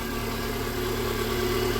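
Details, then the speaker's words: Renault Duster Oroch after repairing a strange engine noise by replacing a faulty valve (third, non-original homologated part): smooth, even idle with steady low drone, no ticking or whistling; engine sounds normal again. "el carro ya queda con su sonido normal eh Por eso siempre Les recomiendo usar repuesto Genuinos originales"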